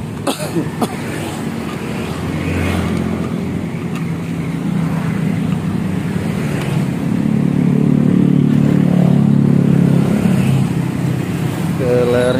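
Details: Honda Scoopy with a CMS exhaust rebuilt and repacked to change the tinny note to a mellow deep one. After refitting, revs climb and fall with a deep, smooth, low drone and no rattle or tinny buzz. The muffler sounds properly packed.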